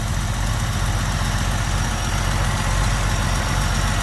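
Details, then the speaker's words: AMC 199ci after reinstalling rocker shaft and cleaning oil passages, mismatched Holley 1920 carb, idling about 800 rpm: steady even idle with light fuel-pump-cam tick, top-end noise gone; slight hesitation, carb suspected over-jetted. "i'm not getting the top end noise like i was before she's got a nice smooth idle to her now"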